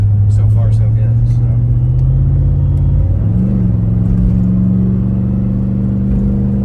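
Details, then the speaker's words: 2006 Chevy Tahoe 5.3 LS driving on a test trip after the stalling fix and about 20 minutes of idling. Steady, low engine drone with a smooth pull and clean pitch change, no misfire; all eight cylinders firing: normal running. "seems to be M much better now she's got all eight firing"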